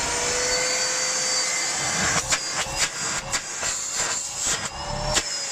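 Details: Miele Complete C3 Total Solution PowerLine 890W vacuum, used, fully cleaned, new filters fitted: steady high-pitched motor whine with even airflow rush, no rattles or surging; very powerful, running normally.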